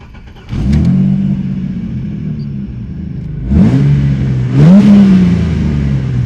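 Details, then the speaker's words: Ford EF XR6 with a performance chip and bigger injectors; it had previously run too rich to start: it now catches cleanly, settles to an even idle and pulls up smoothly through two quick blips; healthy and punchy. "seems to be running okay now thank God for that that's punchy"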